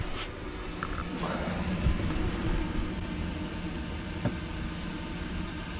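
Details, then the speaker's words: Chinese diesel heater in an overland teardrop trailer, heard from inside with the door shut during a field test, fan and controls set high: steady even rush of air over a low hum, no fuel pump ticking; heater running normally. "I definitely can't hear the ticking. Definitely not. The fan is on full steam ahead, I believe, because that's coming through there quite noisy."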